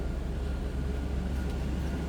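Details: 2000 Toyota Land Cruiser V8, recorded from inside the cabin: low, steady, even hum free of knocks or rattles; healthy normal idle.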